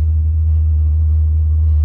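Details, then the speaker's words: Chinese diesel heater with waste-oil fuel preheater, after shutdown with pump long stopped and fuel at 82°C (180°F): a steady low roar continues as boiling fuel keeps feeding the burner; run-on burning after shutdown. "You can see the pump has stopped pumping quite a while ago. And fuel is still being fed in. The fuel temperature, or the temperature there, is 180 Fahrenheit, 82 Celsius. You can hear it still burning even though it shut off."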